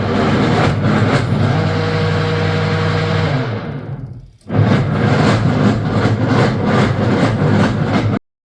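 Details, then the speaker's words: Semi-automatic washing machine making a loud rumbling clatter during washing: the white belt-driven gearbox's gear is slipping; the gearbox is to be replaced with a new one. "तो दोस्तों इस तरह की आवाज कर रही थी ये वाशिंग मशीन। यह प्रॉब्लम गियर बॉक्स की होती है जो यह वाइट दिख रहा है जिस पे बेल्ट चल रही है।"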